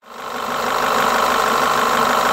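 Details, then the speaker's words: Diesel-like clatter from a Renault Laguna petrol engine (Renault 16/24-valve unit), loudest at the timing end: a worn camshaft dephaser (variable valve timing) pulley. The symptom first appears with heavily heated engine oil. "So listen to the engine work with the worn dephaser pulley. Sounds like Diesel, right? Sound comes from this place."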